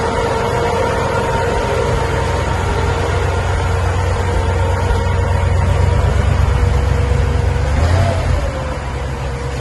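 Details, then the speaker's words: 1958 Cadillac Eldorado, 365 V8 with three two-barrel carburetors (possibly flooding a little at start), on a new near-original exhaust with rear resonator mufflers; low, smooth, even rumble, no ticks or knocks, barely audible, factory quiet; normal running. "But you can barely hear it run. Like I said, factory quiet. Don't want any noise on this Cadillac. Running like a watch."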